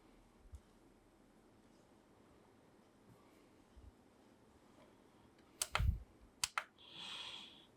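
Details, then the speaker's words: LEGO LG11003 stereo CD boombox (2009), under repair: quiet room, then a short cluster of sharp clicks and a soft whirr as the laser sled seeks on a track skip; CD mechanism working normally. "put the CD in let's play appears to be doing what it should should do we do a little bit of a track skip yep I can hear that"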